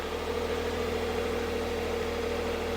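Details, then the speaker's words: Spare starter motor just fitted to a non-running cheap Copart car; smooth, even idle with steady hum and no knocks, misses or ticking, engine sounds alright; run about 30 seconds, ECU fault codes logged afterward. "it actually sounds alright."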